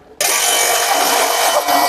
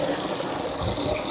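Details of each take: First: Modified 2-inch J500 water pump, primed and starting: loud harsh hissing rasp and thin whine because the removable fan cover's screen is catching on the motor cooling fan, not a pump motor fault. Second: Modified jet water pump drawing from a 6 m bore well, 1-inch outlet, rated 7 m suction and 7 m lift, runs with a steady, even hum under rushing water, no knocking or squeal; normal pump operation.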